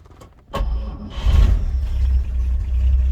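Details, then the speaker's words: 1948 Chevy Fleetline 2-door sedan with old fuel in the tank, not in gear: short crank via starter pedal, then it catches and settles into a steady, even low rumble; gauges alive, oil pressure good; normal cold start. "And she's running. Gauges all come alive. Oil pressure is good."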